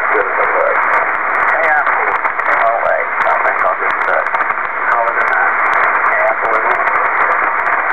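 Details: Kenwood TS-2000 on HF, tuning up the band. Dense, steady hiss and crackle bury garbled voices; the radio's noise reduction garbles the audio. HF radio noise interference, source unknown.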